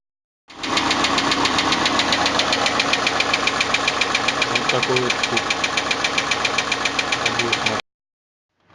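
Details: Chevrolet Niva idling with a sharp, even ticking-knock about three to four per second from the top end; valvetrain knock in the cylinder head. Compression measured afterwards: 13.5 in cylinder four, about 9 in cylinder three; hydraulic lifters also examined.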